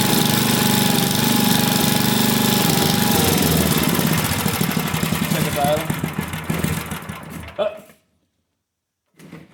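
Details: Vintage single-cylinder engine, a free neighbor engine just reassembled with its carb cleaned, pops fast but unevenly, speed hunting before dying out; the loose choke plate flaps without a linkage, so the jets can't be adjusted until it is sorted.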